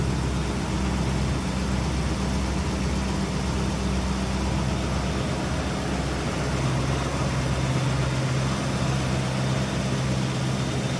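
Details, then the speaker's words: 1966 Ford Mustang coupe with stock-looking small-block V8: steady, even low rumble at idle with a smooth unbroken beat, no knocks or misses, and nice throttle response; normal, healthy idle. "Nice throttle response on that."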